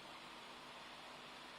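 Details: Dell XPS 15 2-in-1 (9575) barely warm at all, yet the fan runs hard with a steady airy, hissy whoosh and no clicks or rattles; fan noise is louder than the load warrants.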